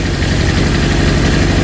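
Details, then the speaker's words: Honda CB750 K2 four-cylinder with new electronic ignition, ignition ruled out; lumpy, lopsided idle with a hollow beat from a dead cylinder; number 3 header pipe only warm, so a carburetor problem is suspected; cylinder misfire. "It does run, believe me. Can you hear the problem?"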